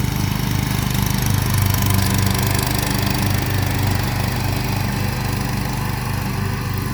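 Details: Kawasaki engine on a mower after an ignition coil swap (401v coil taken from a John Deere mower; flywheel had been smoking), running with a steady, even chug at constant speed, no misfires or knocks; healthy running after repair.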